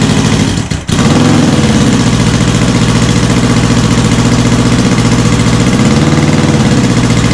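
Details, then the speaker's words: Honda CB450 Black Bomber, cold start on choke with idle stops set, checking a possible cam chain rattle: brief starter burst, then a loud, steady, even cold idle with no chain rattle; healthy. "It's loud, but it doesn't sound too bad."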